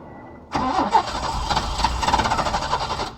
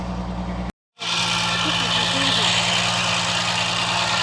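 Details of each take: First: Peugeot 505 V6 manual, first start attempt after about 2-3 months parked: starter cranks evenly for under three seconds but the engine never fires; owner suspects the long storage. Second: Peugeot 505 V6 manual, hard-start after over two months sitting: after a short dropout the engine settles into a steady, even idle with constant hum and no knocks; sounds healthy, spark plug replacement still planned.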